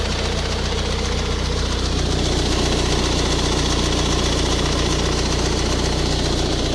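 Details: Ford Focus 1.8 TDCi 115 diesel idling with a steady knock-tick, rattlier when driving, shaky at 1000-1100 rpm and louder after about 10 minutes of driving; diagnosed as a faulty high-pressure fuel pump.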